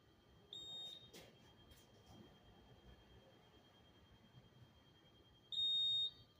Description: A Honeywell Notifier fire alarm panel beeping at Hamilton Rail Station in New Jersey.